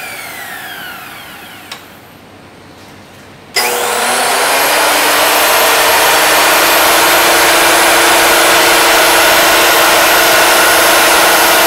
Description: Ticking or clicking sound from Makita 2012NB planer can be heard as machine winds down after being turned off.